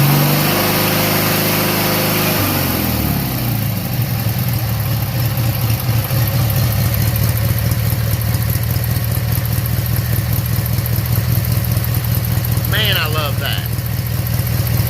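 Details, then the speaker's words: Briggs & Stratton 18hp opposed twin after carburetor cleaning and reinstallation: revs settle at about two seconds into a deep, even, steady low idle with no misses or knocks; healthy. "Guys, I love the sound of those opposed engines. Now, I personally, I own a Subaru, and they've got that boxer style engine in it, but just something about that rumble, man, of that."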